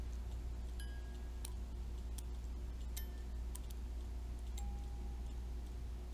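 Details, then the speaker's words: Gummed-up cuckoo (chalet) clock with music box, partly disassembled, not yet cleaned: faint slightly uneven ticks about every three-quarters second over low hum, sluggish, possibly binding; owner thinks it is too tight. "my wife bought two of them and that one i got running this one's so gummed up i think this is too tight"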